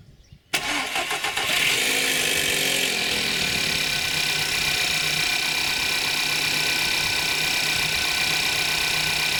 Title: Skoda, VW, Seat 1.2 TSI - EA111 - timing chain rattle at cold start - hydraulic tensioner, chałas